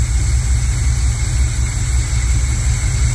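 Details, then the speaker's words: Chevy squarebody truck parked 19 years: deep, steady, even idle burble that no longer dies, after the filter at the carburetor inlet was removed and a gallon of transmission fluid added. Normal idle. "apparently taking the filter out of the input of the carburetor has helped with the idle it stays running now"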